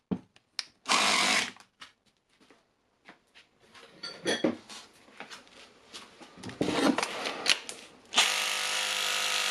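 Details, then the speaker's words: Makita DHR202 18V cordless hammer drill, repaired after worn brushes and stopping fault: short bursts of strong fast even hammer rattle with steady motor whine, no slipping or grinding; good impact force, fixed. "We have some nice coming force. So, I think it's good."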